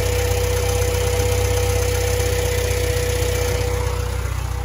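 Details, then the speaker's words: Honda Civic EK4 at warm idle after oil level top-up and a baffled Spoon oil pan install: light, regular clack about three a second. The tick persists but is much improved compared with before. "Bon, on entend que ça claque toujours un peu. Hein, et je pense que c'est plus impressionnant sur le téléphone que ce que ça ne l'est vraiment."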